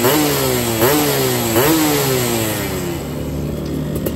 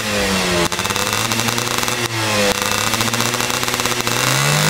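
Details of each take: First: Yamaha F1ZR two-stroke free-rev blips at roadside, 145 main jet, NXL racing exhaust, after a holed piston blamed on CDI ignition; dry raspy crackle — running lean, carb untuned. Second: Yamaha F1ZR two-stroke with BRT CDI ignition, setting considered ideal, after a holed piston: revs climbing and dropping repeatedly, levelling cleanly at top; high rpm held back, sounds well tuned.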